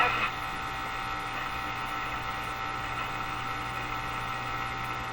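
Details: Moffat Crosley Model G2465 five-tube radio, before its power supply filter capacitors are replaced: a steady low buzzy hum under garbled reception, possibly from weak power supply filtering; mains hum.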